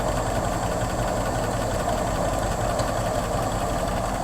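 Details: 1964 Ford Thunderbird V8 idling: uneven, loping idle with a choppy irregular beat and faint hiss, rough running, possibly a misfire from a vacuum leak.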